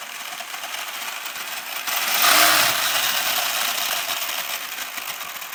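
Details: HPI Savage Flux HP RC truck lifted off the ground under throttle: high hissy motor whir swells with a rough gritty edge, a grinding in the drivetrain; owner can't find the cause.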